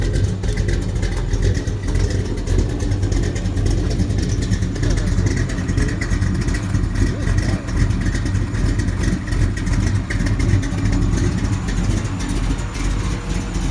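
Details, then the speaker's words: Chevy V8 with Comp 280H cam and aftermarket heads and a mini starter, started and idling: deep, uneven loping idle with a heavy rumble rising and falling in a steady choppy rhythm; normal big-cam idle. "Oh, it's gonna comp 280H cam and whirl heads and all that crap on here, so it's a little spicy."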